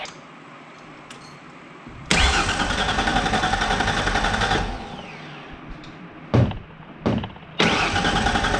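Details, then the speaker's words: 1994 Mazda B3000 with swapped-in 4.0 OHV V6 from a B4000, first start attempt: starter spins the engine in steady bursts but it never fires; crank-no-start, owner suspects the old 3.0 fuel pump, no fuel at the Schrader valve. "All right. Well, you know, a whole lot of nothing so far. It cranks. I'm uh a little unsure if uh the fuel pump from the 3 L is any good."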